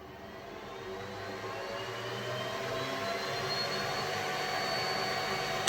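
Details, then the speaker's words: Boosted enclosure exhaust fan on a Snapmaker Artisan, switched on from the OctoPrint terminal: a steady rushing hiss that rises in pitch and loudness as it spins up to full speed, then holds even. A healthy, normally running fan that is simply loud. "50% and the noise comes down and only runs with 50% and that's great"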